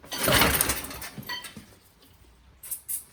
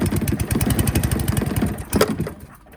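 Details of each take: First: Qualcast Classic Petrol 35S cylinder mower, found free, after carburettor work: catches after failed pulls and chugs steadily but only runs on choke; owner suspects hidden clogging in the carburettor, unconfirmed. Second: Free scrap Qualcast 35s mower, single-cylinder, started with choke on, fuel on and the faulty throttle set to on. Fires with rapid, even pops for about two seconds, then trails away; owner thinks it may need full throttle.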